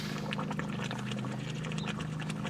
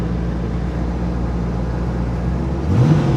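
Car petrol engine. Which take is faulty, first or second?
first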